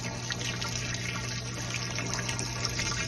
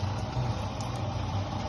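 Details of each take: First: Mabe washing machine on spin after replacing the drain pump, whose impeller had broken and which only hummed without draining: water rushes and splashes steadily over a low motor hum, pump now draining normally. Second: Mabe Aqua washing machine drain pump: steady low hum with no water moving, not draining; broken drain pump needing replacement.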